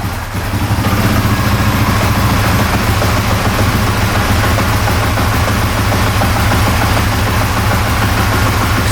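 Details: 2004 Honda Foreman Rubicon ATV after reinitializing the shift system: steady single-cylinder idle with an even beat, no misses or knocks; engine runs smoothly, normal idle.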